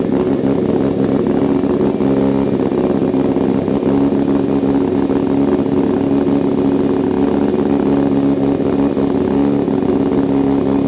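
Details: Mazda RX-7 rotary after a manual swap and rewiring, first start; fast, steady, busy idle far too high that never settles, because the brake booster vacuum port is left open without its one-way check valve; high idle from vacuum leak.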